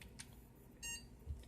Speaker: 2 beeps. Shutting down.